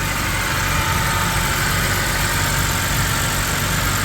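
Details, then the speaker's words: BMW E90 325i automatic saloon idling right after ECU replacement that cured a non-start: steady, even idle with no misfires, stumbles or knocks; slight exhaust smoke noted, suspected PCV-related oil burning. Normal idle. "very nice very nice there's not even misfiring man"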